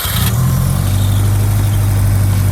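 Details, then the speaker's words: Subaru GC8 after being damaged, hood open, intake plumbing and couplers checked: steady, deep, even burble at idle without stumble or miss; idles fine, though the car was still acting oddly afterward. "sounds good oh it does that that's normal let me start it again and see what happens"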